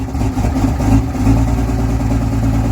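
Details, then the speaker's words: Diesel truck at 27 degrees, warning lights on dash, high idling itself on its own map: deep rumble slightly uneven at first then holding steady, smoothing out; normal high idle. "so this is what it sounds like when it high idles itself slope tune so check out the idle indifference"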